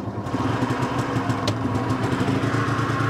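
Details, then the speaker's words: Small two-stroke EZGO golf cart, just repaired for a no-start caused by a bad ground, running on choke: a fast, even chattering idle. Engine running normally. "Little two-stroke engine in this thing. Might not be as fast, but it's probably close."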